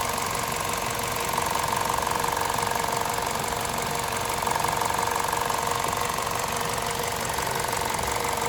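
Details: Warm VTi 120 engine at 137,700 km: quick, fairly even ticking about three per second from the left side of the valve cover; cause not pinned down; valvetrain ticking.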